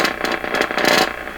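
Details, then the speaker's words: Stewart Warner R514 tube radio on a bundle-of-wire antenna: weak sound breaks into buzzy, papery rattling bursts on louder passages; blown, damaged speaker cone rattling. "and this speaker is bad just rattling away that's what we get from a bundle"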